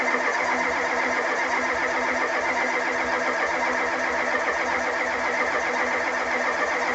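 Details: 1985 Ford F250 6.9 IDI diesel, 4-speed manual, unstarted 4–5 days at down to −27°C, −17°C today, frosted engine: starter grinds engine over at steady even pace with no firing at all; crank no-start from gelled fuel, no anti-gel added.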